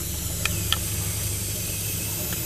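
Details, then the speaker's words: Turbocharged car under boost leak test with the tool pressurizing the intake: soft steady hiss of escaping air over low hum with faint ticks, leak at the intake elbow gasket itself, not the hose, found near the throttle body. "appears to be the actual gasket on that elbow it's all good"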